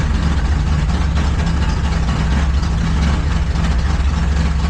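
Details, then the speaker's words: Truck with a mystery misfire during ignition troubleshooting: loud, deep idle with an uneven, lumpy beat; it needs throttle to keep running and dies off gas; one cylinder seems not to fire; owner suspects timing or the ignition circuit. "See how rough she's running? I have to get the gas to run. So, I let up the gas to die. Yeah. Sounds like the cylinder ain't firing or something. Something ain't firing, right?"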